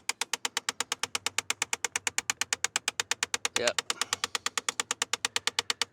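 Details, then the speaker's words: Jeep Grand Cherokee: rapid, evenly spaced sharp clicking behind the dash from the driver's temperature blend door actuator, which is being replaced. "We confirmed our clicking, but I want to put my hands on it to make sure 100%. Of course, now it's not going to do it because I'm trying to show you guys. Oh, there it goes."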